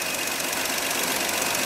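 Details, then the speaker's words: 305 V6 engine idling with the rocker covers off; quick, even, light ticking from the rocker arms is normal valve lash, since no noise would mean valves adjusted too tight and hanging open. "the engine's running here how it's clicking guess what that's how it's supposed to sound if there is no noise coming from those rocker arms the valves are tighten down too much"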